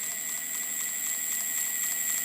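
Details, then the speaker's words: Ancheer e-bike with 26-inch wheels, about 350 miles, that grinds uphill or on quick starts: the hub motor spins free with light, fast repeated clicking over a thin high whir. Pressing the circuit board stops the clicking; owner suspects poorly seated sensors. "It's making a clicking noise, and so when I press onto this circuit board, it stops making the clicking noise."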